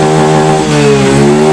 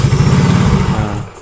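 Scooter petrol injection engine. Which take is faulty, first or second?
second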